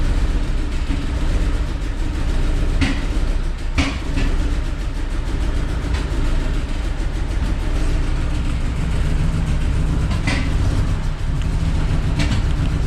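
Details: Cheap BMW E39 six-cylinder that made a bang and stopped running on all 6 cylinders: deep lumpy rumble with an uneven beat through the idle; misfire, cause unknown.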